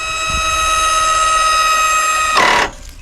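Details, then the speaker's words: Worksaver ESCG-48S 12 V electric grapple on a Massey Ferguson 1526 loader, run with the tractor off. A steady motor whine drops into a short rough burst as the overrunning clutch slips, meaning the grapple is fully open. "And you can hear that overrunning clutch. That means it's fully closed."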